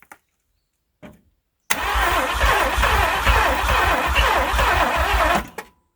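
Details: 1967 Thunderbird with a 428, sitting about 30 years, one spark plug wire replaced: two short bumps, then about four seconds of strong, even cranking that never catches. It cranks but won't start; ether is next.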